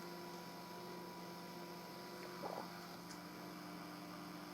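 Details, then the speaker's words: Breadboarded 5W single-supply quasi-complementary discrete power amplifier with its input disconnected: a steady low hum and a thin constant 1 kHz tone over faint hiss. The circuit is producing a 1 kHz sine wave by itself; cause unknown. "There's that noise that I was seeing on the scope before, too. But interestingly, the circuit seems to be producing a 1 kHz sine wave by itself."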